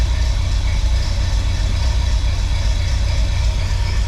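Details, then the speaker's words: Untested Craigslist Chevy small-block 350 in Chevy van, just started, oil pressure present: deep slow uneven thump idling about 450 rpm, very low idle; no lumpy cam, likely stock or very mild cam. "450 RPM that's really low so I don't think it has a cam and if it does it's a really mild Cam and that makes me really really freaking happy"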